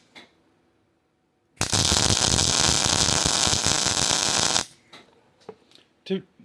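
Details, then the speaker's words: Hobart Ironman 240 MIG welder with ground clamp moved directly onto the workpiece instead of the table: three seconds of steady, even frying crackle with no pops or breaks; smooth, stable arc with good wire feed. "To to me anyways, that sounds better."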